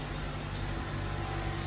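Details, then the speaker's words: Jaguar XJ, engine idling in park after calibration and ride-height measuring; faint steady hum of the small air-suspension compressor as it levels the car corner to corner with fine adjustments; normal compressor operation. "you can hear the little compressor going. Oh. It's doing a little bit. And you do have to be a little patient while the car figures itself out, but it's going corner to corner and making fine adjustments to the ride height."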